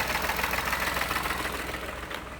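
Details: Car engine at idle: rapid regular ticking-knock over steady idle, fading as engine winds down; source of the knock not pinned down.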